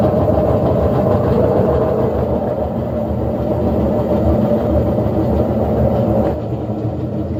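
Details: General Electric washer in spin, with its faulty timer advanced by hand because it won't progress. A loud, rough rumbling roar with a droning hum is far too noisy. Maintenance is needed; the likely repair is bearings and seal plus a timer check.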